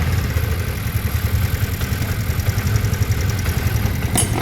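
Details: TVS Ntorq 125 BS6 scooter after tappet (valve clearance) adjustment that cured an engine noise: steady low idle with soft even pulses and no ticking on top; valve train now quiet.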